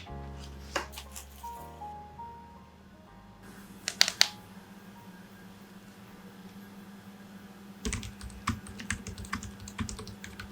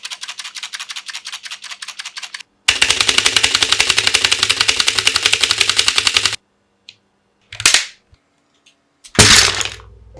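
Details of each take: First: Modded Magic-Refiner MK16 keyboard (silicone dampener, PCB foam, lubed and filmed switches, lubed and padded stabs) typing with soft, muted keystrokes in quick bursts, no rattle or ping, over light music. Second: Mechanical keyboard (Magic-Refiner MK16) before modding: fast, loud, sharp clacking, harsh and hollow on each keystroke; noisy keyboard later fixed with dampening foam, lubed switches and stabilizers, and fixes for rattling parts.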